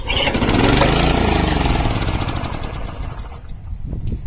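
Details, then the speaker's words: 1987 Honda HR214 lawnmower, about 32 years old, cold start on full choke: catches and runs rough and loud a couple of seconds, then speed sags and it dies. First failure; fuel filter replaced, spark plug next. "this is the first time it stopped working it will crank run for a little bit and and then shut down"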